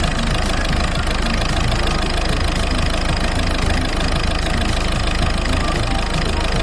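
Diesel idles unevenly with an uneven knocking clatter and a lumpy beat at a fast idle. It's running rough, cause not pinned down. Cause suspected, not confirmed.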